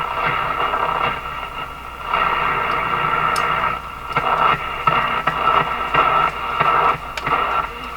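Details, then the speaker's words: Canadian Philco 409 (46-350) portable radio, restored and refitted in its cabinet, final alignment: a French station comes through clearly in the shop office above a light hiss, steady with no crackle or fading. Normal reception. "is a french station over radio can pick up this French station here in my office like this is pretty good"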